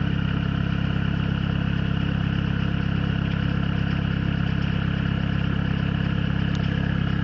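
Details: Peugeot/Citroën XUD diesel at cold idle: heavy uneven low thump and clatter, a cylinder dropping out; caused by a faulty glow plug and weak battery, goes away when warm, fixed by a new battery.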